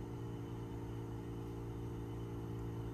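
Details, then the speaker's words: MRCOOL DIY 3rd Gen mini split heat pump outdoor condenser, 15 months old, running in air conditioning mode outside the shop: low, even hum with steady fan whoosh, no rattles or squeals; sometimes gets a little louder, normal running. "it does sometimes get a little louder than this but as you can hear it's really not that bad"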